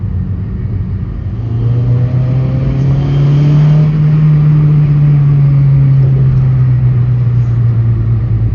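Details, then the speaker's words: Honda Civic rolling after new brake pads, with only one pad needing replacement; the earlier scratchy grinding is gone, leaving just a low road and engine hum with no scraping from the wheels, so the brakes sound normal. "i remember when i was driving and you can hear that scratchy noise now you don't hear nothing it sounds normal"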